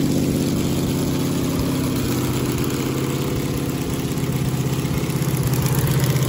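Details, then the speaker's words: 1969 Camaro 396 big block Chevy V8 after fitting a new cam and new lifters, replacing a badly worn cam lobe and lifter blamed for a weak number seven cylinder; settles into an even, steady low rumble at idle with no ticking. "so now i'm just going to go back together with it new cam new lifters and i'm sure it'll run a lot better this time"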